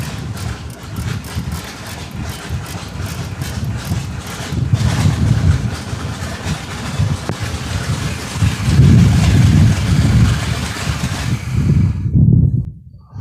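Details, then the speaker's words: 2021 Chris Craft Stinger 222 boat, first start of the season after fitting freeze plugs: lumpy engine thump surges unevenly, runs about 20 seconds, then cuts out and all voltage is lost; rough running and stalling. "so it ran for 20 seconds and it just it didn't sound right and then it died and there's no juice to anything so we got we got a little issue here"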